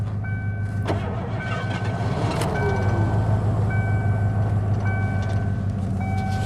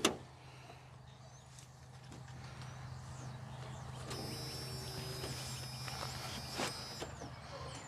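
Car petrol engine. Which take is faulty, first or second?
first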